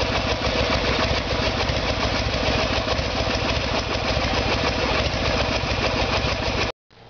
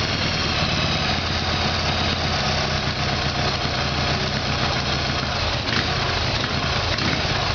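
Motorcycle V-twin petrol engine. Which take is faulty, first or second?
second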